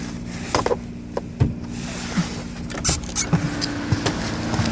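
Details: Ecotec 2.0 XEV engine; steady low drone at idle with irregular hard knocks roughly eighty a minute; owner seeking the cause; engine knock.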